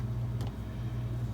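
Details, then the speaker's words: Whirlpool ED5FVGXWS05 refrigerator after replacing the cold control thermostat, compressor previously starting only when the thermostat was struck: steady low hum at even pitch, no clicking or cutting out; compressor now running normally. "That's the sound of a compressor turning on. And if you recall before, I had to strike this thing in order to get that to happen last time."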